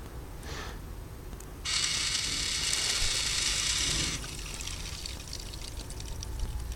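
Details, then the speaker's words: Watering system programmer first turned on, tap opened: steady hiss of water rushing through the drip line tubing, swelling then easing, like a computer water-cooling system; line filling normally with enough pressure to reach the sprinklers. "so we can hear the water passing already. This sounds a bit like the computer's cooling systems, the water computer systems."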